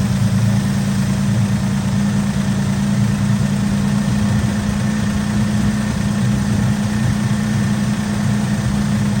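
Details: 1964 Oldsmobile F85 Cutlass, one-owner, 67,000 miles, running again after 33 years stored, restarted after a bad hose and trash-filled fuel filter: a deep, even idle with steady rumble and no knocks or misses, though it idles a little high. Muffler front is blown out.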